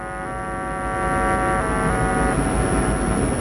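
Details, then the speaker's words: Car amplifier playing a 50 Hz test tone into a test speaker through a 100-volt capacitor filter: rough buzzy tone easing to faint fuzz as gain is turned down; amplifier clipping distortion. "Okay, this is the clip signal you're hearing. Now, if I turn the gain down slowly,"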